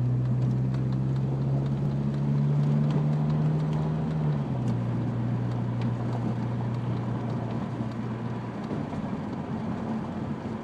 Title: Noise when turning right, and cold start.